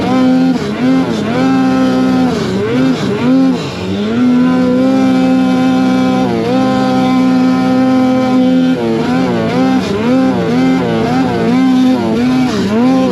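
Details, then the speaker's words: Silber Turbo Polaris 9R snowmobile on day-one testing in fresh powder, Revelstoke BC: pitch climbs, then sags and stumbles in repeated dips under load; bogging and cutting out, owner unsure whether powder bog or over-revving. "Kind of getting that bog. I mean, it could be powder bog, but it kind of feels like potentially over revving and it's cutting out."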